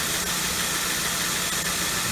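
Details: 2003 Nissan Sentra petrol engine idling after re-tightening the serpentine accessory belts off the crankshaft pulley: steady even low hum, no belt squeal, normal idle.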